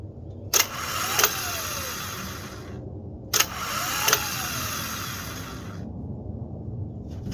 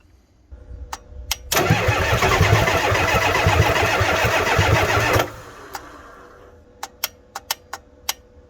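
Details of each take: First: Ford F350 7.3 IDI diesel starter tested out of the truck on jumper cables, heard from inside the cab: two short high whirring spins with clicks at start and stop; starter spins freely. Normal starter operation. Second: Ford F350 7.3 IDI diesel, cold, starter repaired: starter drags engine over slowly, about three compressions a second, several seconds with no catch; weak batteries cause slow cranking.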